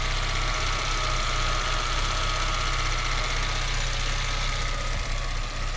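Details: Citroën Xantia Activa Turbo CT petrol engine idling with a slightly uneven, lumpy beat, about four pulses a second that don't settle; mild rough idle, work in progress.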